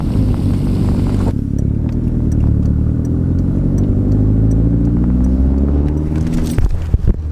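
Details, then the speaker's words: Daily-driver turbo car on a test drive right after a boost leak and exhaust leak were fixed: a steady, deep, even drone with no puffing or ticking from the exhaust. It sounds immediately better, and the repair holds. "yes I don't hear it let's go all right I'm going to go for a quick drive make sure this thing's driving good oh immediately it sounds better"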